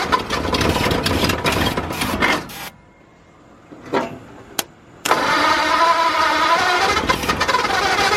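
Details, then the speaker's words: 1953 Ford truck, new V8 first start, after verifying number 1 at top dead centre, no coolant hooked up: it cranks and fires, nearly dies, then catches again and settles into a rough but steady idle. "Call that running. Alright, I don't have coolant or anything hooked up to it, but I'm going to call that a success. It runs."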